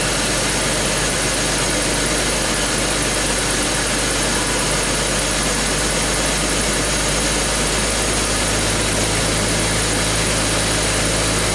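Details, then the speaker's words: BMW X5 being diagnosed for a misfire, with an ignition scope on all six coils and a pressure sensor in the dipstick tube: steady, even, smooth idle with no misses, knocks or stumbles. "that's interesting the car is running perfectly okay"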